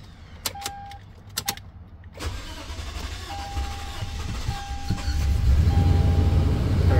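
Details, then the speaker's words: 2010 Toyota Tundra SR5 after secondary air injection valve and intake manifold work with fuel rail disconnected: chimes from key cycling to prime, then about three seconds of cranking before it catches and revs; long crank from low fuel pressure. "so all I'm doing is tur in the key back and forth for at least uh five times that should pressurize the fuel rail and then we be able to crank it not enough fuel"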